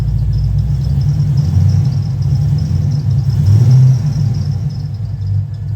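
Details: Cadillac CTS-V V8 just tuned for new heads and cam: deep, choppy lope with steady low rumble, no knocks or ticks; owner notes a bad miss to troubleshoot before driving.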